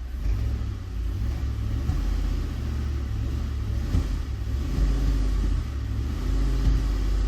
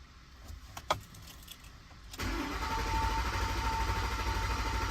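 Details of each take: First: 2010 Ford Explorer 4.6L 3-valve V8, cold, brake-torqued: lumpy rumble with one cylinder misfiring, only when cold; plug and coil already replaced, diagnosed as a failed roller follower. Cold engine misfire (single cylinder). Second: 2010 Ford Explorer 4.6L 3V with cold-start misfire, cranking during relative compression test: fast, smooth, even cranking beat; compression good with about 0% difference across cylinders.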